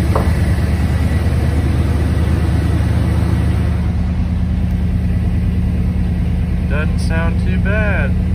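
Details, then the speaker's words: 1986 Ford F-150 V8 idling after sitting about 15 years, just started after a fuel pump swap and still on old gas: deep, even burble with a steady low rumble, no misses or knocks. Small pipes, maybe not two inch; normal healthy idle. "i don't even think those are two inch pipes they're small they sound pretty good though"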